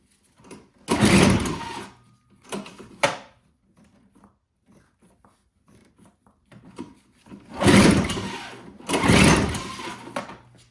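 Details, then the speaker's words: Old Toro CCR Powerlite snowthrower, unused for years, catches in short ragged one-second bursts on primer/starting fluid, then falls silent each time. The carburetor isn't pulling fuel because the needle was installed upside down on the float, so no fuel reaches the bowl. "Now, as you can hear again, it's working when you do the primer. But it's not staying running. So that tells me the carburetor's not sucking up the fuel."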